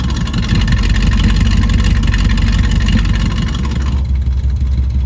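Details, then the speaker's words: Chevelle V8 that sat for years, just restarted after fresh fuel, new spark plugs, water in the cooling system and a borrowed battery; exhaust cutout open. Deep loud lumpy rumble with steady pulsing exhaust beats; running pretty good. Normal running. "Yeah, running pretty good. Not mad at it. Old girl's still got it in her."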